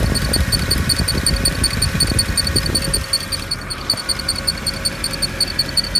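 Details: Mercedes E63 at idle: fast, even, high-pitched ticking chirps over a steady idle, appearing to come from one of the fans; exact cause unclear.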